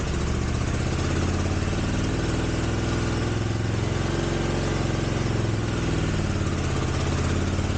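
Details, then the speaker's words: 1983 Honda GL650 motorcycle after sitting outdoors 30+ years, carbs cleaned, first start on choke: steady, even fast-idle throb with no misses, ticks or knocks, exhaust clear, no smoke; normal idle. "looks like a good engine starts right up doesn't smoke now this is after sitting for 30 years"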